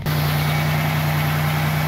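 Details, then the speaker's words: 1995 Buick Regal after body dampener replacement, cold idle: steady with a faint quick ticking on the low hum; rocker arm rattle only when cold, owner suspects a pushrod sticking up, cause not confirmed. "good she's got a little uh valve for uh rocker arm rattle I can't tell what it is but it only does it when it's cold"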